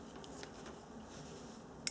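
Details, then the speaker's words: Fuel pump relay bench-tested with leads from a battery pack to the two coil posts: one crisp click in a quiet room as it energizes; the relay switches normally. "we're simply taking the leads directly to these two vertical posts and you should hear a clicking noise"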